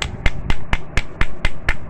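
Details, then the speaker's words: Seized motorcycle engine opened up, crank turned by hand: sharp dry tack-tack clacks about four a second from a damaged connecting rod, caused by no engine oil after worn rings/piston burned oil and it wasn't topped up; rod and crank bearing need changing. "খেয়াল করবেন ট্যাক ট্যাক করতেছে তো engine oil না যাওয়ার ফলে এটাতে engine oil না আসার ফলে হচ্ছে"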